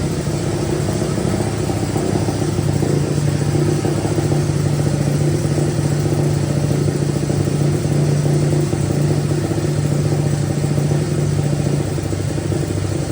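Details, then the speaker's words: Honda 185S three-wheeler, stock carb ported and converted to E85, O2 sensor in newly welded bung: steady single-cylinder idle with slight rev blip; air-fuel reads about 9–10 at idle versus 14.7 target, mixture far too rich. "So as you seen at idle, it was like 9 or 10, and we want that to be around 14.7,"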